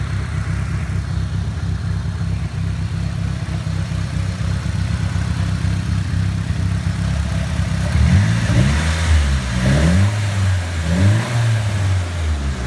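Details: Nissan Silvia S15 after complete respray with engine removed and reinstalled: low, lumpy uneven idle with a few throttle blips; ran perfectly before engine removal, cause of rough idle not yet found.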